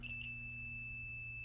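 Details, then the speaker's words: Multimeter continuity test on a 13.5-amp trip breaker, switched to on: a constant high-pitched tone held steady shows continuity, though the breaker is still broken, losing continuity at the end of its throw. "And that's continuity through this breaker, okay?"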